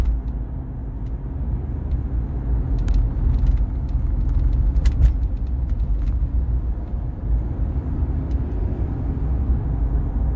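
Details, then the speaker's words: 2013-plate Toyota with just over 100,000 miles, cruising above 30 mph: a low, steady helicopter-like whirring drone under road noise from a worn front wheel bearing. "it sounds like um helicopter a woring noise hopefully can it's picking it up so when I do like 30 and above it's quite prominent"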